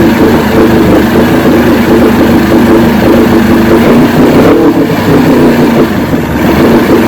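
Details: 1970 Evinrude 85 hp outboard, hydroelectric shift, new water pump impeller, run in water container, in neutral after shift tests: loud steady burbling idle, even beat, no stumbles or knocks; normal idle, carburetors in good shape at idle.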